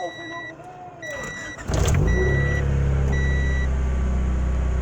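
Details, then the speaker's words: Car after spark plug replacement: a few chime beeps, then engine catches and settles into an even, steady low idle, smoother than before when it rattled on start, no rattle or misfire; normal idle. "And it sounds a little bit more smoother. Like before, I would start it and it would be like rattling"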